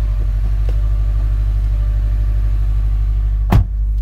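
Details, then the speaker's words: 2016 Subaru WRX STI Limited, turbo flat-four: steady low rumble with even smooth pulse, no knocks or rattles; revs and idles fine, normal idle. "revving just fine idles just fine there's your turbo"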